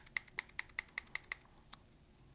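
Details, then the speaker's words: Baitcasting reel with the spool tension knob backed off: seven crisp, evenly spaced knocks, about five a second, as the spool spins; side-to-side spool play. "I usually go until That Knocking disappears and then I'll back it off of here just so it's so barely present because I don't want any interaction from that"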